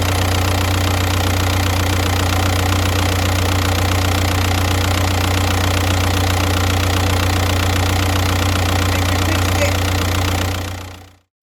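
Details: Car with a P0118 coolant temp circuit high fault and fans constantly on when cold, after rerouting coolant sensor wiring melted on the hot water pipe: cold engine holds a steady, even idle; engine light still on.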